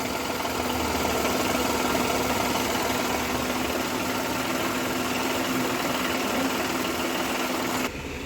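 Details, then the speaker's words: Renault Kwid that had a high-RPM idle, fault found with a Launch Creader scanner; after the faulty accelerator pedal was replaced with a new one, the engine settles to a steady, normal idle. "இப்ப பார்த்தோம்னா sound வந்து கம்மி ஆயிடுச்சு பாருங்க ஆட்டோமேட்டிக்கா இப்ப இன்ஜின்ல போய் பார்ப்போம் சவுண்ட் வந்து கம்மி ஆயிடுச்சு"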